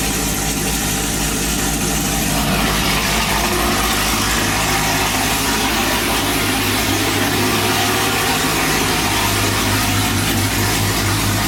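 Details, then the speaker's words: Car with headers and a straight MBRP exhaust idling: loud, raspy idle with a steady, slightly uneven burble and no knocks; just the headers and free-flowing exhaust. "as you can hear the cars extremely loud - its headers 3/8 exhaust straight out the mbrp screen without"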